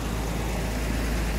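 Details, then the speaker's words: Jaguar Series 1 4.2 with new electronic ignition replacing points, cold just after start, choke on at about 1200 rpm: steady, even low rumble with no misses or stumbles, smoother cold than it ever ran on points; healthy idle. "I don't think it's ever run that smooth cold since I've had it. Certainly never did on points and condenser."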